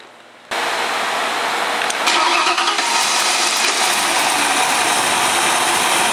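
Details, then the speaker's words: Ford engine with distributor initial timing already set at 15°, just started before timing demonstration: catches at once and settles into even, steady idle, no knocks or misses; normal start and idle. "All right, we just started up. We already have it set at 15, but I'm going to show you."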